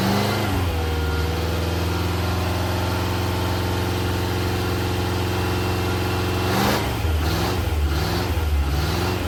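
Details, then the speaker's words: Rebuilt classic Rover P6 V8 (bent rod rebuild) on engine dyno, heard from outside, quick run from 2,000 to 4,900 rpm: smooth V8 note climbing steadily in pitch, then clean throttle blips, no knocks; normal healthy running. "we're going to do a quick run from 2,000 RPM to 4,900 just so you can see it and hear it from out here"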